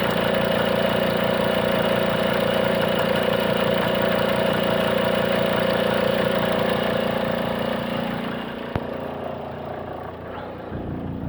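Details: 2004 Volvo XC90 D5 diesel at idle: even idle with a steady mid-pitched whine on top that fades near the end; alternator suspected, not confirmed.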